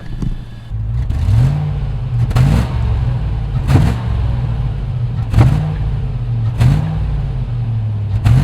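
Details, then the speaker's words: Land Rover Discovery 1 junkyard truck, not run for a year, after immobiliser and alarm bypass, heard near exhaust: repeated throttle blips each ending with a sharp crack as revs drop, exhaust backfiring on overrun. "There's still a backfire on it. We'll bring it round to the back to the exhaust system. Maybe you'll hear it a little bit better."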